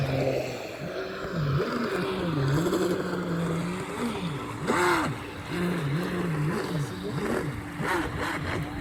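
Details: Homemade RC boat: the motor whine warbles up and down with throttle, with an uneven rattly edge over the water noise. Broken propeller shaft universal (cross) joint.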